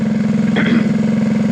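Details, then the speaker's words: Revived go-kart engine during break-in run, about 20-25 minutes planned before fitting air cleaner and chain: fast, even single-cylinder putter at steady idle, firing regularly with no knocks or misfires; normal healthy idle. "let her break in get it out of the shopper ain't got to listen to it it's kind of noisy"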